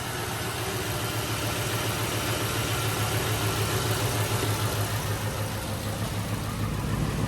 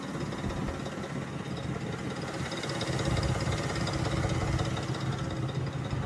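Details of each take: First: 2005 Mercury Grand Marquis 4.6 modular V8 idling smoothly with no knocking, rattling or chirping after the failed timing chain tensioners were replaced. Timing chain rattle is gone. An exhaust leak is present, and it smokes from sitting and running rich. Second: 2005 Mercury Grand Marquis 4.6 modular V8, freshly rebuilt; uneven knock about three per second over a low rumble. Rod knock ruled out; timing chain rattle traced to failed timing chain tensioners.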